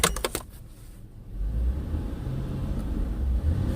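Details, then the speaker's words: 2000 Ford Taurus, 145k miles, in the cabin after the motor mount was fixed and centered so it no longer touches metal: only a low, even engine hum with no knocking or metallic noise; healthy. "listen to that you can't even hear anything hardly just the engine"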